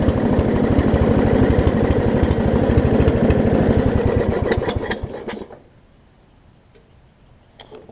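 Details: Lowe's riding mower small engine, blade off, after ignition repairs and cleaning: rough chugging at about three beats a second with sharp pops, then dies away; rough running and backfiring; owner suspects tight throttle linkage, missing governor or leaking needle and seat.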